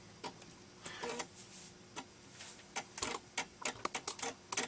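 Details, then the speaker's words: Amiga 500 Plus floppy disk drive after repair: crisp irregular ticks and short buzzy seek bursts; drive now reads and loads disks normally, though problems remain. "that sounds a bit more healthy, doesn't it? And it seems to be loading."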